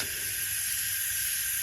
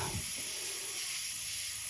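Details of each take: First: BMW F10 N55 engine leak-down test at 100 psi, engine off: steady faint hiss on one cylinder, called 95%, leakage barely felt by nose; healthy cylinder. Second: BMW F10 N55 24-valve engine leak-down test: steady high hiss, only about 68 of 100 psi held (32% loss), air felt in the exhaust port from the right/front exhaust valve; leaking exhaust valve.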